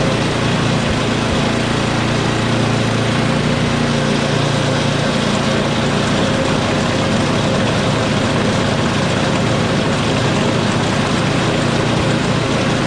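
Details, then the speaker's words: Small single-cylinder snow-equipment engine after quick carb clean and primer hose repair: steady, even buzz without stumbling or surging; hard running was actually just too little fuel, now runs properly. "But runs good now. I think I just wasted half an hour."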